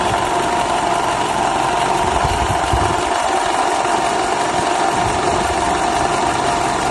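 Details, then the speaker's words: 2012 Toyota Camry 50 2.5, about 150,000 km (exact mileage unknown), noise from engine bay, client's recording; steady drone with faint hum on top, identified as balance shaft noise. "такой звук издают балансировочные валы поэтому если вы у себя услышите такой звук вы его узнаете"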